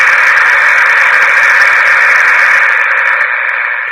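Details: 1962 Emerson 707 transistor radio, a found antique, bench-powered at about 4.2 V with low current limit: steady loud hiss with no station, easing as volume drops; set powers up and plays, normal static.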